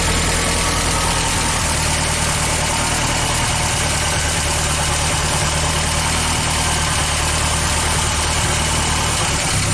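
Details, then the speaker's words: International Scout 80 old petrol engine after a steering column seal repair, run warm; slightly uneven low thrum with a backfire, carburetor untouched; rough running with backfire, needs tuning. "as you you saw from the backfire it definitely needs tuning"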